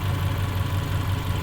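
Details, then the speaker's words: Subaru Legacy after engine refresh with new fuel injectors, fuel two years old, hot day: low, even idle rumble with only faint injector ticking; idles smooth and healthy. "But as you can hear, there's no noises other than the new fuel injectors."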